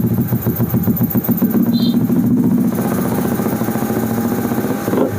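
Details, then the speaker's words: Carbureted Honda Vario (early generation, KPB code) running during a charging check reading about 14 V: fast, even putter that stays high without settling, and it drops when the rear brake is pressed; idle speed set too high. "Ini langsamnya tinggi. Oke, motornya langsamnya tinggi. Kalau dipencet rem belakang nih, dia langsamnya kecil."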